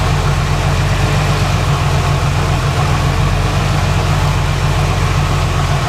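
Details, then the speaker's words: 1990 Jeep Cherokee idling after power steering pump replacement, belt retensioned and fluid added, run to circulate fluid; smooth even low idle, steady rumble, no knocks, whine or squeal from pump; normal idle. "We're going to start it up and let it run a little bit to circulate the fluid through it."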